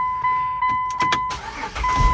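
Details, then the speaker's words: Cold start of a sight-unseen auction car before a 1600-mile CA-to-TX drive, probably about 10 miles since oil change: door chime beeps, short crank, engine catches at once into steady idle; starts right up, normal. "oh yeah starts right up perfect"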